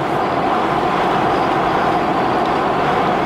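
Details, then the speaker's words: Right-hand-drive HDJ81 Land Cruiser at cruising speed with a Front Runner roof rack and no front wind guard fitted: steady howling rush with faint hum over road noise, sounding like tires but coming from the roof rack. "It's literally like it's howling. It sounds like it's my tires, but it's not. It's the roof rack."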